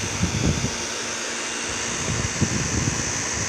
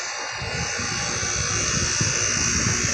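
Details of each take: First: Carrier 38CKB and 38CKC condensers in cool mode, possibly with Millennium scroll compressors: steady compressor hum and fan rush, then a brief clatter and quick wind-down on a normal shutdown. Both units made the same shutdown sound. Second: Carrier 38CKB/38CKC condenser in cool mode, rusted: loud, steady fan roar with a harsh high buzz and no rhythm change. It drowns out the compressor sound. The owner thinks the unit might fail soon.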